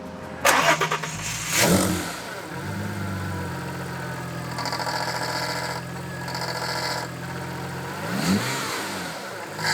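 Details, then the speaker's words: Audi B5 S4 engine starts and idles with a steady high whine from the aftermarket power steering pump; louder when turning the wheel, worse on throttle while turning; owner suspected cracked suction hoses drawing in air, and the pump was replaced with a known good OEM unit. "so there you go right away you can hear that whine um of course it gets louder whenever I put pressure in the system meaning turning back and forth the steering wheel"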